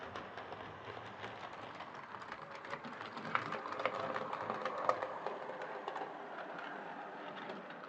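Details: Hornby R2553 Princess Coronation Class "City of Bristol" model locomotive after repair (mangled coupling rods fixed, replacement smoke deflector fitted), on test track: light quick wheel clatter with soft, even motor whirr; running smoothly.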